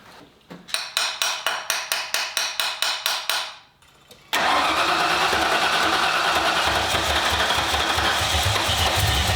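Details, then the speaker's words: 1995 Ford Mustang GT, 302 V8 after a carburetor swap with a new manifold, fuel pump and tank: about a dozen even cranks, then a loud unsteady idle. Fuel pressure exceeds the 4–7 PSI spec and overloads the carb; a return line is needed. "as soon as that pressure hits that point where it hits the carburetor and overloads it and those things are terrible yeah supposed to be 4 to 7 PSI according to that thing it's clearly too much"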